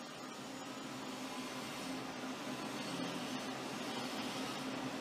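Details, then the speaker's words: Washer-dryer drying fan motor after repair (plastic-safe grease on plastic seal, turbine refitted with new washer and screw); quiet smooth whirring, faint steady hum, no grinding or rumble; noise much reduced, healthy. "Bom, tá aí, como vocês podem ver, a diferença de ruído é muito grande."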